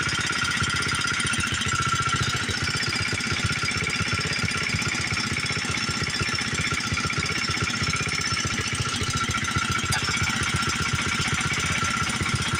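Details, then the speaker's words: Old Montgomery Ward 32 tractor engine, carburetor ultrasonically cleaned, new plug, choke set: loud, uneven stumbling chugging; runs rough. Owner suspects carburetor still bad and needs replacing; smoking heavily, possibly worn rings or needs resealing. "Well, it runs. It doesn't run very good. The carburetor didn't clean up like I wanted it to. I think it's probably going to need a new one."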